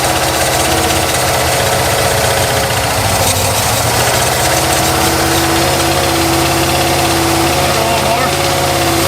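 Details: Abandoned 1993 Ford F150 after sitting 14 years, held just above idle: an uneven, lumpy beat that smooths out quite a bit; definitely some dead injectors.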